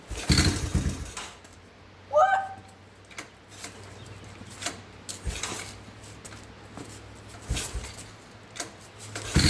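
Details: Yamaha Timberwolf ATV, non-runner, after carb cleaning, new spark plug, fuel hose and petcock, pull-started because the starter is bad: the single-cylinder engine settles into a low, steady drone with a few light throttle blips, running evenly.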